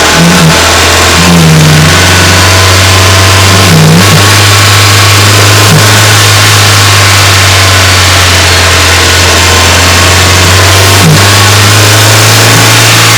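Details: Renault Wind / Clio III 1.2 turbo 100 hp, microphone under the bonnet at two spots, at 2000 then 2800 rpm; low drone with a brief whoosh or chirp as revs drop, caused by the faulty original Bosch 0280142118 dump valve, replaced with an adjustable recirculating one.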